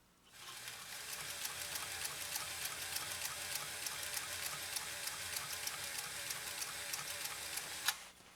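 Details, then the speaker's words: Restored PFAFF 130-6 sewing machine with aftermarket motor, sewing a straight stitch: even, brisk needle ticking over a smooth motor whir at steady speed; machine sews cleanly, normal motor running. "Hear that motor working? Again, that's an aftermarket motor, and I think it's doing a fine job overall."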